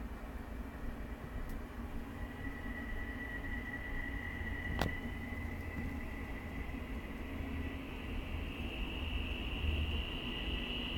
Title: UUT #2 1/4HP Dual Shaft - Light squealing noise